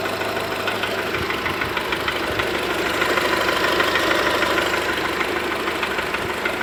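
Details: VW Golf 4 1.4 petrol, cold engine: light regular ticking about three per second at idle; cause of tapping unclear.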